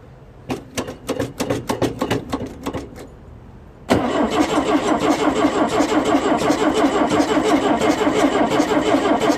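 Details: Pinzgauer air-cooled four-cylinder with dual carburetors, choke on, 24 V: three seconds uneven cranking then busy lumpy idle; over-rich running, front carburetor float cracked and sinking, replaced afterwards.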